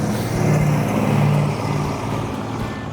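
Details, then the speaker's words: 1972 Dodge Charger Rallye with a 318 V8, restored, exhaust: deep rumble swells with a throttle blip and settles evenly, no misses or rattles; healthy, normal exhaust note. "I think it sounds good it does sound good yeah but it was cool the car did perform well the car ran good"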